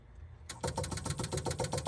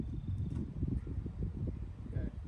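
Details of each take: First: 1966 Jaguar E-Type OTS roadster, electric fuel pump pumping fresh gas through the system before the first start attempt in over half a century: fast, even ticking about eight clicks a second with no leaks; normal electric fuel pump ticking. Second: 1966 Jaguar E-Type roadster, ignition switched on for the first time to run the fuel pump: two loud horn blasts, one short and one held several seconds, sound by themselves. Cause not identified.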